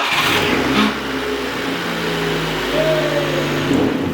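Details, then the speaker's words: Honda Civic after replacing a leaking coolant hose, started in a heated garage: engine catches and settles into a steady run with a couple of light revs, even, no knocks or squeals; normal start after repair. "Starts! And that should be the end of it."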